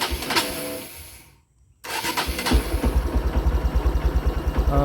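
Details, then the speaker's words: Used motorcycle checked before purchase: starter cranks briefly, pause, then engine catches into an uneven idle; hard starting, suspected weak battery or incorrect air setting needing reset, not confirmed. "starternya ini agak susah ada dua kemungkinan yang satu akinya yang sudah melemah dua bisa terjadi karena anginnya itu kurang pas atau perlu dilakukan reset"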